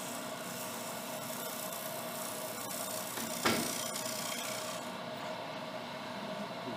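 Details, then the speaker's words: Small bowl being turned on a lathe: dry scraping cut with faint buzzing rattle and a sharp catch as the tool works the thin outer edge, chatter vibration from the thin bowl wall; finish the outside before going further in. "You hear that sound? That's that vibration that I was talking about if you start getting it down smaller. So that's why you want to be done with that outside before you go in any farther."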